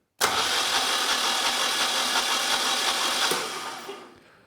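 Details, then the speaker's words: Generac standby generator 999cc V-twin engine (0J9333), removed for no oil pressure, cranked on the bench via solenoid; steady even starter whirr about three seconds; gauge reads 50 PSI at cranking speed, original oil sensor suspected. "we're not building any oil pressure. Oh, wait a minute. We got 50 PSI at cranking speed, so that that's good."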